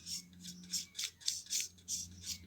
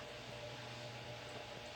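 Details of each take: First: GT9800 graphics card fan: a low motor hum with harsh, raspy scraping bursts about three times a second from the rubbing fan. The card was taken apart, cleaned and given new thermal paste, then worked 100%. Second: GT9800 graphics card fan after cleaning and thermal paste replacement (it had been roaring): quiet steady whir with low hum, no rattles or grinding; normal fan operation.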